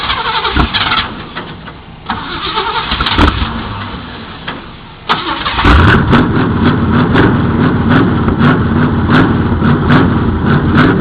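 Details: 1978 Chevy Camaro, factory stock, about five seconds of uneven cranking before it catches and settles into a lumpy idle with lots of smoke: very hard start, prolonged cranking.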